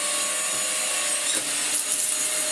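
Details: Dyson DC04 Absolute Plus upright vacuum after motor replacement and a replacement clutch with fresh belts: high, steady whirring motor with rushing air at constant pitch, no grinding or rattling; works fine, repair a success.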